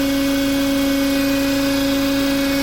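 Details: Renault Duster Oroch petrol engine, 54,484 km, idling: steady low whistling hum from vibrating intake manifold; changes when PCV valve disconnected, pointing to PCV valve as cause.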